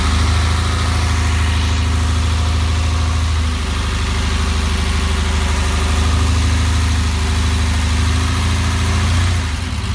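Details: 1969 911 with a 3.6 engine at cold startup: the flat-six idles with an uneven, stumbling beat and misses now and then. A misfire, still being sorted out.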